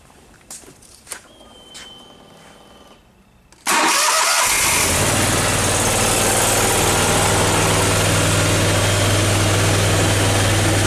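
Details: Briggs & Stratton Vanguard 37 hp EFI engine, final run after repair with sheet metal refitted: a few quiet clicks, then fires at once and holds a steady, even idle with no misfire or stumble.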